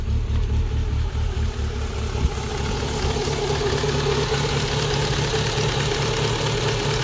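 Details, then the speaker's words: Rover 25 GTI 1.8 VVC with white exhaust smoke, possibly running rich: fast slightly uneven idle and steady drone unchanged when a sensor is unplugged; high idle, owner suspects that part or the idle air control valve. "It sounds exactly the same, so I bet you that is the culprit. Still puffing away, still sitting with that high idle."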